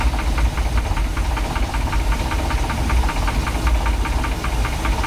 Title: 1990 Sea Ray Sundancer 454 engine knock